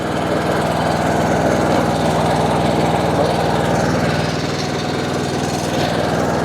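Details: John Deere D140 with 196 hours that squealed when the clutch/brake pedal was released, traced to failing drive-belt idler pulleys, parts still to order. With the pedal pushed in, an even engine drone with a steady pulse and no belt squeal or chirp; quiet.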